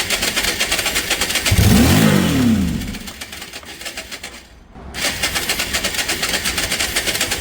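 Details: Cheap auction Yamaha motorbike, a long-time non-runner with its missing spark already fixed: a steady cranking chug, a short rising rev as it nearly catches, then back to cranking. Fuel starvation is suspected, with the carburettor and fuel lines due for cleaning.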